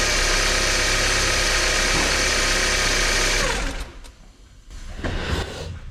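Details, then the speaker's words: 1993 Porsche 968, 3.0-litre engine, idling after reassembly with the balance shaft belt re-tensioned to fix a very noisy engine: steady, even idle with a smooth quick beat and no chatter or rattle, now much quieter and healthy. "give it a quick start and see uh what it sounds like well that definitely sounds a lot quieter"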